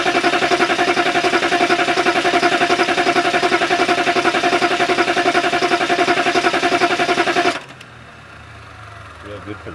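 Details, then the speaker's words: 6.2/6.5 diesel cranked on a low battery after a new, dry fuel filter was fitted; owner suspects air in the filter: even fast starter cranking for about seven seconds that never catches; cranks but won't start. "guess because the filter is dry it's got to fill up diesels don't like air"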